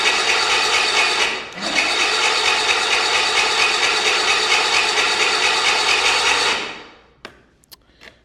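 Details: 1985 Bass Tracker outboard, sat unused, reportedly ran last year, no compression check: steady raspy cranking whirr for several seconds without firing; fuel confirmed, owner suspects no spark and doubtful connectors. Cranks but won't start.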